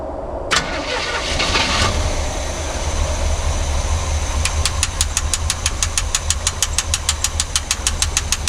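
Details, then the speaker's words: Chevy C30 squarebody with a 350 V8 and dual exhaust, abandoned for years, after fuel line work: a short crank, then it settles into a very quiet even idle with a soft steady ticking; it runs fine. "she freaking runs she's so quiet wow"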